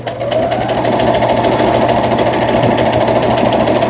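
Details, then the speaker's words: Brother CS100 computerized sewing machine (overseas direct purchase) after repair, sewing at medium speed; reverse now works where it failed before, needle up/down normal; quick even needle ticking, no knock or bind — normal sewing. "후진 정상적으로 되죠. 이게 후진도 되지 않았던 기계입니다. 그 다음에 바늘이 상단, 하단 모두 정상적으로 잘 되고 있습니다."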